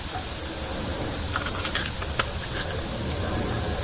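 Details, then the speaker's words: Fairly new truck tire, still on the vehicle, with a screw puncture and the hole drilled before plugging: a steady, sharp hiss of escaping air. Tire air leak. "Y'all can hear the tire leaking. Probably should have did this before, but it's still easy."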